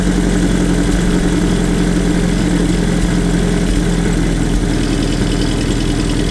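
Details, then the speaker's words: Land Rover Series II, 2.25 petrol, Weber carburetor, aftermarket air filter, warmed up: after the idle screw is turned down from a fast idle that may have caused overheating, it gives a loud, uneven, slightly stumbling idle and is not running perfectly. "See, that's already idling a bit slower. Not running perfectly, as you can hear."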